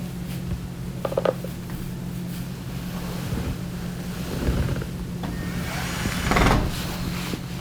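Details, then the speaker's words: Dryer test run after putting a slipped-off drum belt back on: quiet steady low hum with a few soft thumps from the turning drum, belt driving the tumbler, no squeal or scrape; normal drum rotation. "I'm going to give it a little test, and I can hear it spinning. Yeah, and the belt's still connected, and it's turning the tumbler, so we're all set."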